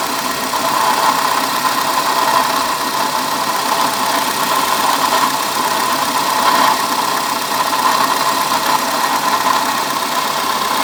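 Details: Car at idle: steady mid-pitched whine with a rough, gravelly edge that does not change; diagnosed as a bad water pump, worn bearing noise.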